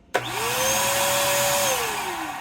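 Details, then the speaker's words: Bissell 3-in-1 turbo vacuum foot assembly, brush roll motor RS-380SH-19156RBPY: whine climbs, holds about a second, then sags and dies; brush roll stalls, owner first thought jammed; cause found as factory mis-ground motor brushes destroying motor. "I think it it feels like it might be jammed I don't know spins for a second and then it stops"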